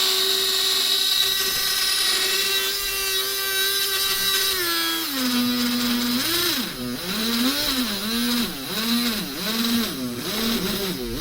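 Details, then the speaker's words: Used HO-scale model monorail, on a track section the owner suspects is too dirty, possibly wheel slipping: thin motor whine drops then wavers rhythmically as it bogs and catches; uneven labouring, cause unconfirmed. "H this train behaves weirdly doesn't it okay it's starting to run a bit more smoothly now"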